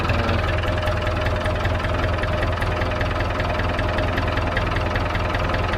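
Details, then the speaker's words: David Brown 990 diesel tractor, about five liters of oil added, started to try the hydraulics: steady, even idle clatter at about 150 beats a minute, no misses; healthy idle. "but at least that motor runs man that sounds mint"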